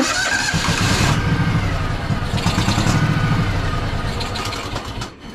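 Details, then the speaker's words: Craftsman DLT3000 lawn tractor, Honda 16.5 hp, water-contaminated fuel drained from carb bowl: long labouring cranking that runs unevenly, spitting and sputtering without clearly catching; hard starting, likely more water in fuel. "yeah still spitting and sputtering so probably have more water in the gas"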